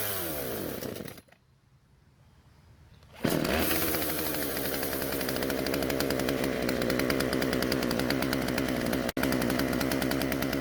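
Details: Husqvarna chainsaw after new carburetor metering diaphragm fitted: engine cuts out, restarts and holds a high buzzing rev but won't settle to idle; low-speed (L) mixture screw needs adjusting.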